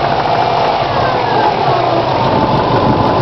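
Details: 2002 Subaru WRX at idle: sharp regular knocking in time with the engine, started suddenly; owner suspects a bent valve, unconfirmed.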